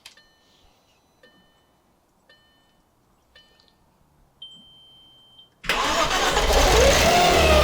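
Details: Audi B5 S4 after timing job and reassembly, with ignition control module wires corrected and intercoolers not hooked up: a few soft chimes, then it cranks, catches sharply and runs. It later died.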